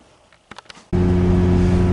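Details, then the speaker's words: After a short pause a 2005 Honda Accord pulls away with a smooth, steady drone and no hum or growl after front press-fit wheel bearing replacement; ABS light on since two wheel speed sensors still need replacing. "Well, she sounds much better. She's driving okay."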